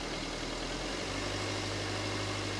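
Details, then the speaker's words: 2017 Vauxhall Combo diesel van, ex-Copart non-runner, just revived with EGR and everything replugged, still warming up: quiet, steady idle evening out after the first second, no misses, now running on all four; normal idle. "but it's actually settled down now and it's running on all four"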